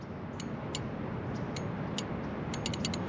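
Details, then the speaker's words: Motorcycle front brake lever barely squeezed without the pads engaging: light crisp clicks, a few seconds apart, then a quick run; the brake light switch is working normally. "um two two two notable things about the front brake is if you barely squeeze the front brake without actually engaging the brake pads I don't know if you can hear this little click"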